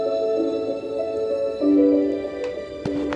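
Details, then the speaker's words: Sonic Gear active speaker, dead-speaker fault, after restoring supply to the sound IC: music clear and even at raised volume, no hum, crackle or dropouts; amplifier playing cleanly again. "teman-teman bisa dengar suaranya kembali fresh"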